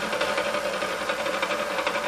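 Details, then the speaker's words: Vintage KitchenAid K5SS stand mixer before restoration, running: steady mechanical chatter with fast clacking over the motor hum, smells of hot motor; gearbox grinding, owner suspects old grease. "yeah I hear that a little bit of grinding and I think that's just probably just old grease being you know old lubricating"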